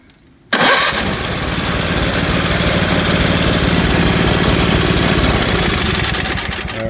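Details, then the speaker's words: Tecumseh 5 HP engine with 110-volt AC electric starter, newly shimmed so the pinion sits tight against the shroud: starter catches cleanly and the engine fires at once, settling into a steady, even run; normal electric start. "works good like I said if this isn't spaced properly and it's away from the housing of hit an eighth of an inch or so you'll hear we it'll spin but it won't engage the starter teeth"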